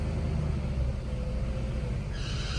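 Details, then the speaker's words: Car started after winter storage: steady engine rumble with a thin high whine rising near the end; alternator sounds terrible, belt already tightened, owner expects a new alternator is needed. "Oh, it's so weird. That alternator sounds terrible."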